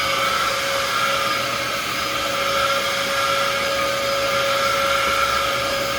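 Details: Rescued vacuum cleaner running with attachments, no brush roll: steady high whine with a rough hollow roar and slightly wavering pitch; motor sounds worn, likely from extended running with a poor filter.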